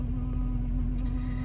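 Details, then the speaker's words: Volvo 240 that sat 6–7 years, heard after a drive with the engine smoking heavily: steady low drone with a constant hum and no rhythm from the fuel pump; noisy, worn fuel pump that needs replacing. "Just got back from that drive and I don't know if you can hear it. Well, that's fuel pump."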